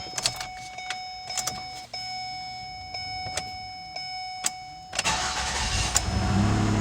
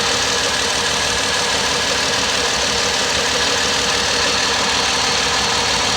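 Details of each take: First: 2009 Ford Escape 3.0 V6 that had a cylinder 4 misfire and a bank 2 lean code (P0174, P0316), first cold start after reassembly with fuel injector work: quick crank, smooth steady idle, no misfires. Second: 2009 Ford Escape 3.0 V6 with bank 2 lean and cylinder 4 misfire codes: rough, uneven idle with a stumble repeating every few beats; current ramp shows cylinder 4 injector dead, not fixed by wiggling harness or tapping.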